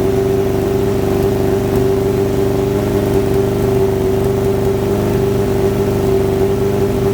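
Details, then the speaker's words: Kawasaki ZX-7R inline-four warming up after the idle-circuit work: steady, even, healthy running with no stumbles. It is more responsive than before, and the idle adjustment works again; the owner suspects old fuel or debris in the bowls was the cause. "well that uh to me seemed like a bit of a win um like I say it fired up pretty pretty well um and it's more responsive than it was before"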